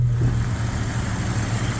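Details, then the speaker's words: 1998 Jeep Cherokee XJ six-cylinder, rebuilt after a wreck and tuned over three months: deep, steady, even idle, purring like a kitten with no misses, knocks or ticks; normal smooth idle. "There she be, purring like a kitten. That's great. That's nice and smooth."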